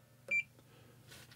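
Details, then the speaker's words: Marshall amp build at first startup: a short, steady meter beep on the continuity check, 240 ohms to ground. A bad power tube with an unusual failure; the fault disappears when it is pulled, though the socket is still to be ruled out. "shows 240 ohms the ground so there's a bad tube here it's in a weird failure to have not seen before but if I pull that out boom it's gone"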